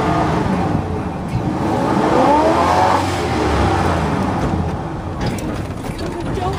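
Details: 1970s Ford truck, badly flooded after stalling and hard restart that nearly drained the battery: hard, uneven revs with a rough edge as the engine clears out.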